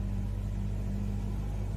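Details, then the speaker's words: Toyota Etios with automatic transmission, engine held in Drive on the brake and revved after replacing the accessory belt tensioner and belt: deep steady drone with no squeal, chirp or rattle; earlier noise gone, normal running under load. "interferência do barulho acabou o barulho tensor de polv eu troquei o tensor e a correia né para feisar troquei lá os dois tá aí resolvido o problema aí ok"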